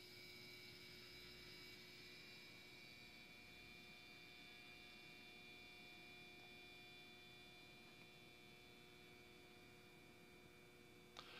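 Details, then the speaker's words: Toaster probably from the late 1980s or 1990s, drawing about 1375 watts: steady electrical hum and faint buzz from the heating elements as they glow bright while toasting; normal heating element hum, nothing irregular. "Can actually hear it buzzing a little bit. There's so much juice running through that"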